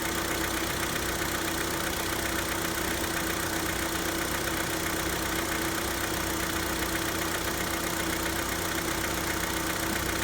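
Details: Hyundai Santa Fe with the G4KE engine on a cold start: light, fairly quick tapping at about four per second over the idle hum; cold-start knock of unclear cause.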